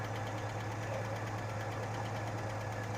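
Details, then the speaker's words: 1986 Chevy S-10 2.8-liter at idle after long storage, oil pressure over 70 psi: an uneven idle with a loose, irregular clatter over a lumpy rumble, at times seemingly in sync with a misfire; the owner suspects a rocker fell off. "I don't know here electric clattering but it is what it is probably shouldn't be doing that excited sometimes the misfire and that noise seemed to be oddly in sync"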